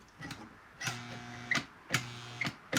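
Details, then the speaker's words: 1955 Lionel 736 Berkshire locomotive that won't run: irregular sharp clicks with brief electrical hums and no motor running; the E-unit reverse unit cycles but the locomotive doesn't move. "Can hear the E-unit doing something."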